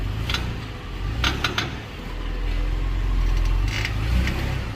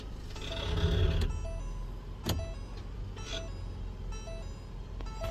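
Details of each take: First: 2020–2022 Ford Explorer moving off after shifting from park to drive or reverse, after the fix: low engine and drivetrain hum, light brake squeal from galled, shiny rotors, suspension bushings loading, and no more metallic ting or pop from the rear. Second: 2020-2022 Ford Explorer police vehicle, rear, pulling away after shifting park to drive; sharp metallic pop and tings amid suspension grunting over a quiet cabin, dry rusted CV axle splines slipping in the hub; repair planned without replacing axles.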